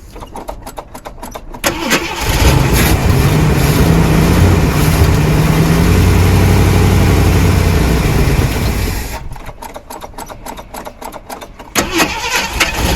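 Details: 1979 Jeep Cherokee, AMC 360 V8, sat 3-4 years; starter cranks about two seconds, catches into a deep steady rumble; normal start, smooth running.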